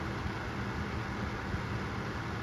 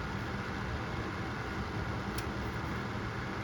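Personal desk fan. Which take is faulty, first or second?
second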